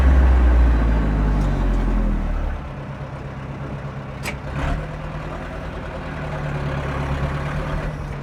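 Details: 1997 Zetor 4340 59HP 4x4 cab diesel farm tractor with loader, 1447 hours, as traded in and unserviced, with the 540 PTO engaged: a deep, steady, even chug with no knocks or misses; normal running.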